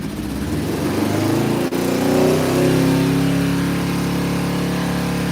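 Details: Motorcycle started cold in snow, after sounding like it ran on one cylinder on high choke: quick blip of revs settling into a steady, even beat with no misses; owner says running perfect, purring like a kitten.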